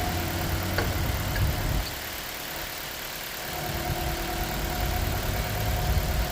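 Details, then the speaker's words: 2009 Mitsubishi Colt 1.3 L petrol that misfired on cylinder 4, after the ignition coil fix with the coil plugged back in: a steady, smooth idle with all cylinders firing, no stumble or shake. "So, once I plug it back in, as you can hear now, the engine is running very smooth."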